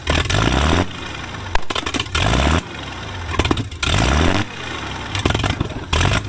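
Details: Abandoned 1950s Rolls-Royce engine stored years on a pallet, start attempt after plug cleaning: bursts into life then dies repeatedly every second and a half as ignition is cut on and off; erratic surging, owner suspects the governor.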